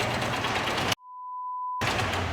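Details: Hero Splendor iSmart 110 vertical-engine single-cylinder bike at idle, with white smoke, after a dealer engine job whose crank bearings failed within 15–20 km: busy, tinny clatter over the exhaust, steady with revs; timing chain rattle from worn chain or tensioner.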